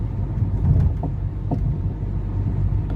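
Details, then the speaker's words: Mercedes-Benz W204 driven at low speed over a bumpy road: dull irregular thuds, about three clunks in a few seconds, seemingly from the right front, intermittent. Traced to a worn front strut top mount bearing. "i had my car do a rattle clunking sound on me i hardly replicate the sound because it's not always there"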